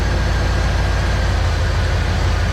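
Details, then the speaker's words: Petrol engine idling deep and even while a new distributor is fitted; timing light shows ignition far too advanced, and idle speed eases down as timing is turned back. "We are too far advanced. So we're going to be able to tell by engine idle."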